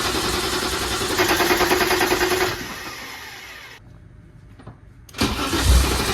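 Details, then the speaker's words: Long-parked BMW ('ran when parked'), started after a fuse/relay fix by the battery: it fires, revs cleanly and drops back to a smooth, even idle with no knocking. It smokes a little and the wiring is a mess. "oh my like a kitten well I mean it's a little bit of a wiring nightmare but got her fired up"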